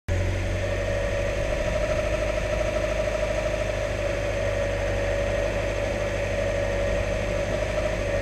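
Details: 1991 Mazda Miata: steady mid-pitched whir over a smooth, even engine idle; source unknown.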